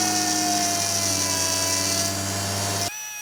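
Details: 2002 Acura TL Type S after replacing the high-pressure power steering hose, bleeding at about 2000 rpm while turning lock to lock: a steady high pump whine that drops away sharply, from air in the fluid.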